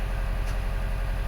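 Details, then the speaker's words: 2012 Subaru Forester SJ/SH, EJ255 turbo, after fixing the coil connector pins: steady, even idle with smooth low hum and no stumbles; misfire gone, all cylinders firing cleanly. "There we go, Misfire is gone and our coils are back"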